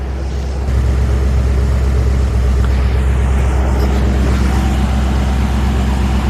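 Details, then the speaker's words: 1948 Ford F5 flatbed farm truck with a Mercury 256 cu in flathead V8 (owner notes valve issues) idling low and even with a soft, steady burble, no knocks or misses; very quiet, purring like a kitten, sounds healthy. "That actually sounds so quiet and it's purring like a kitten. It's amazing."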